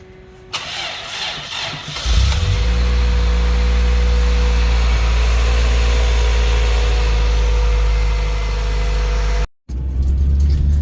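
Starter whirs for a couple of seconds, the engine fires and settles into a steady, even idle with a low drone.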